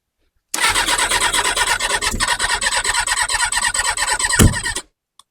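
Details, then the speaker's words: Kawasaki ZX6R G1 after carb cleaning, on a jump pack: fast rhythmic cranking for about four seconds, then one sharp backfire pop but no catch; spark present, owner suspects fuel starvation or excess carb cleaner. "little bit of backfire almost kind of starting but not"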